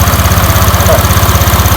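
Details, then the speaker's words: Honda Click 125i first generation, milky water-contaminated engine oil: idle with fast rough clatter each beat; mechanic suspects water pump shaft bearing, not yet disassembled. "หน้าจะเป็นเพราะว่าอาจจะเป็นเพราะลูกปืนรึเปล่าปืนแกนปั๊มน้ำหรือเปล่า"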